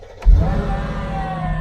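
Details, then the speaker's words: Mercedes SL55 AMG after corrupt ECU virginised and reprogrammed to immobiliser with Mercedes Star, fuel pump audible; short crank, catches at once and settles into a steady, even, deep idle; engine cranks and starts. "it says please start the engine now if you can hear the pump is on this time we are going to crank"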